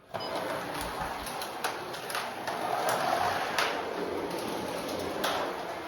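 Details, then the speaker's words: Carrera 1/32 slot car after truing the wheel for polyurethane tires, previously growly on the track: light, even whirr rising and falling as it laps, no growl or rumble; smooth running after repair. "Way better. Way better. I guess that's a good word."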